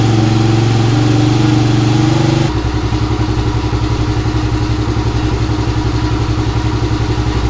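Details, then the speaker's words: 2017 Kawasaki KFX50 kids' ATV after switching petcock from reserve to on: brief rev then even, steady idle; now starts and idles normally but won't take throttle, main jet suspected dirty or small. "okay so we made some progress obviously it starts and runs now"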